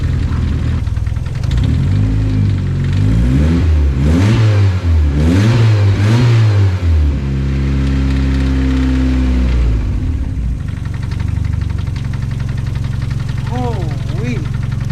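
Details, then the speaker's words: Mazda Miata, cold start after replacing a cracked coil pack that caused a cylinder 1 and 4 misfire: revs rise and fall cleanly, then a slightly lumpy cold idle because there is no idle air control valve; firing on all cylinders; normal cold idle. "all right so we're all good now it's just gonna run like that because um i don't have a idle air control valve so until it warms up it'll start running a little bit smooth"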